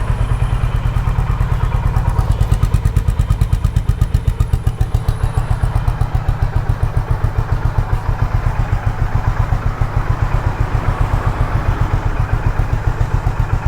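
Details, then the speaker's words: Honda H'ness CB350 single after throttle-body cleaning/service, idling without throttle: steady even thumping with no misses or hunting, no engine malfunction light; healthy idle. "So let me just start it up one more time for you. So no engine malfunction light over here, as you could see. Things are just fine without throttle."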